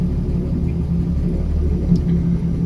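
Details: 3.2L VR6 engine started on ultracapacitor bank (6x Maxwell 2000F 2.7V, 333F 16V) replacing battery, 120A alternator recharging it: deep, steady low rumble with even beat, no knocks or misses; healthy six-cylinder idling smoothly.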